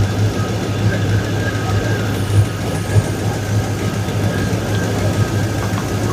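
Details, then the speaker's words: 2002 Chevrolet Silverado, after transmission and new Y-pipe install: rough idle with uneven puffing tick over low exhaust rumble; exhaust leak, owner suspects a V-band clamp not seated all the way around. "Also sounds like it's got a healthy exhaust leak."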